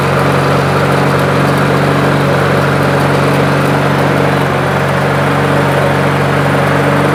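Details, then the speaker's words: Toro push mower with plastic carburetor that started then died after 10 seconds, after cleaning carb jets and emulsion tube ports, no blade fitted yet: small single-cylinder holds a steady, even beat with no misses or surging; normal running. "Sounds pretty good. Let's put a blade on it."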